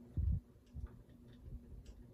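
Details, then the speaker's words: Ceiling fan reassembled after a repair, running with the globe on: soft low ticks about two a second, quieter than before but still present. "it's got the volume of the ticking noise is reduced you can hear it's not as loud"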